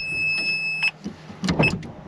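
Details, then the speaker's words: Wrecked Ferrari 430 Scuderia under rebuild: the F1 gearbox hydraulic pump gives a brief steady high electric whine, re-priming after power is applied and gears are flicked through, then stops. Owner thinks it re-primes more often than it should. "and there you go that's the F1 noise I can hear it can you hear it tell me you can hear it"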